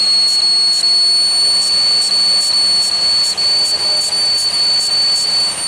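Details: 2001 Pontiac Aztek GT, rebuilt engine that had sat in pieces 8 months, at idle: steady piercing high whistle over a soft idle, owner thinks it is a vacuum leak at the upper intake plenum gasket.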